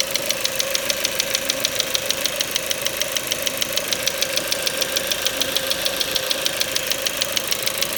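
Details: Ford Mondeo 4 2.0 Duratec HE, 89,000 km, LPG fitted at 70,000 km, idle: sharp regular ticking knock about 200/min; not valves or swirl flaps, owner suspects petrol injectors; knock vanished revving to 7000 rpm stationary.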